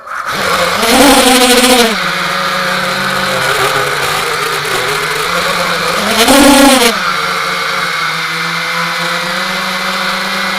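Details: GB-X210 quadcopter in flight, later crashed: buzzing motor whine surging with throttle bursts, odd rough edge under the hover tone; abnormal motor noise, cause unclear.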